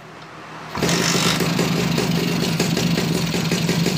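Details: Suzuki Bravo (RC100) two-stroke motorcycle started after carburetor service and combustion chamber cleaning: lively, even buzz with a steady beat; starts and runs properly.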